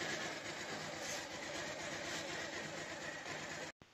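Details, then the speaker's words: Bajaj Pulsar 150 single-cylinder after a timing chain replacement and fresh engine oil, started in two clicks: smooth, steady even idle, the earlier chain rattle gone, then it cuts off; normal idle after repair. "तो आप लोग गौर से सुन ली जिसकी आवाज एकदम चली गई यह जो खड़-खड़ थी वह सब चली गई है"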